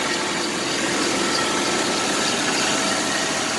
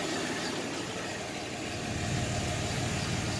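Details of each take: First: 1990 Chevrolet S10 Blazer 4.3 4x4 automatic, 216,131 miles, first start after about seven years sitting: harsh, raspy idle with hissy chuffing, little low rumble, nasty exhaust output; exhaust leak, needs exhaust system, also vacuum leaks and tune-up due. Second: 1990 Chevrolet S10 Blazer 4x4, 4.3 V6 automatic, 216,131 miles, first cold start after years sitting, exhaust system needs replacing: steady fairly even idle, low rumble, no misfire or knock, running on all six.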